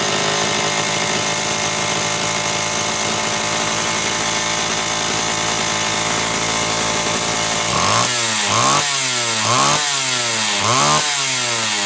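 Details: Homelite Super XL chainsaw test run after starter spring repair and a bad new spark plug replaced; it was previously running lean: smooth sustained high rev, then five clean throttle blips, slightly rich on the high side on purpose.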